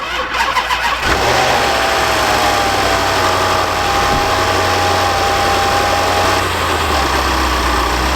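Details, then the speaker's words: Land Rover LR4 5.0 L V8 with timing fault codes and restricted performance, started for the last time before timing chain replacement: catches and settles into a loud idle with busy metallic clatter and knocking; loose timing chains slapping. "doesn't I'm not sure how well the camera is picking it up but this thing is knocking away and uh that's very indic indicative indicative of loose timing chains on these 5 L V8s um that's just stuff slapping around on the inside there"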